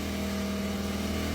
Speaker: yeah it sounds like the fan is rubbing yeah it's 100% the fan fan is on its last [Music] legs